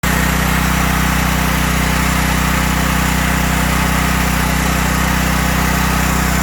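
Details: Briggs & Stratton 5000 W generator with five hours of run time, after a no-start repair (gummed float needle valve on the Huayi carb cleaned, a substitute spring fitted, stuck choke freed): a steady, even drone of constant pitch with no misses, surges or knocks; it runs normally.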